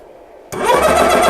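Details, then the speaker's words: ReadyAir personal airgun compressor filling a gun to 3625 PSI, starting near 84 degrees: near silence, then the motor kicks on sharply and settles into a steady, even hum; the extra cooling fans kick on around 87 degrees; clean start. "Go ahead and shut the bleed valve. Start my timer. The additional fans just kicked on. You can probably hear it."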